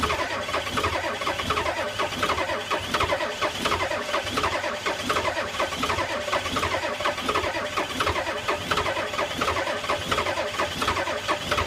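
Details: 1985 Ford F250 6.9 IDI naturally aspirated diesel at -34: slow, labored cranking pulses at a steady rhythm that never catch. Cranks but won't start in extreme cold.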